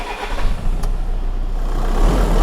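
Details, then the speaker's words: 2014 VW Crafter 2.0 TDI after snapped cambelt repair (retimed, new belt and tensioners, no engine or head replacement), first start with every warning light on: cranks and catches, settling to steady even low rumble without knocks or rattles; runs right. "Well, we'll wait to clear the codes because it's obviously a bit excited, but it's running. That sounds beautiful. Sounds right, doesn't it?"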